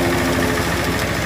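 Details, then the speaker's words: Kawasaki Ninja 250 FI: fast dry metallic chatter over idle, loose cam chain slapping from a failed cam chain tensioner; pressing and tightening the tensioner with a small screwdriver made the noise disappear. "tanda ini tandanya ataupun ciri-cirinya tanjokan keteng ini ataupun Tensioner keneng bermasalah"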